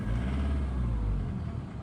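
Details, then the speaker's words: Ford Mondeo, recently revived with starting fluid: deep engine rumble that shakes unevenly around 1,000–1,100 rpm while revving and driving, with a characteristic shuh-shuh sound; knock and stumble at low revs, owner unsure of cause, injector knock suspected. "ось коли вже 1100 обертів там чи 10000 і воно то тако щось робить отако типу підтрушує. От навіть коли зараз їду і звук такий характерний, не знаю з чим це зв'язано."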